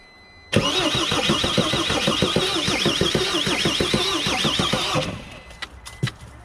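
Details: Mercedes Sprinter diesel van, no-start after new fuel tank and fuel pump, fuel system bled after an open bleeder; steady cranking thumps about three and a half per second with hints of catching but no start.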